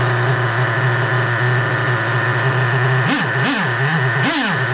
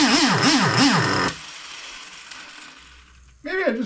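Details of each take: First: 3.3 engine after rebuild with both bearings replaced, idling after carburetor low- and high-speed screw adjustment: steady, even idle with a few brief throttle blips that return cleanly; carburetor now set right and idling well. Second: Freshly rebuilt 3.3 engine with new bearings, carburetor mixture being adjusted: revs swing as the throttle is worked, then it dies and restarts only with throttle held. It won't hold idle; the owner suspects carburetor adjustment.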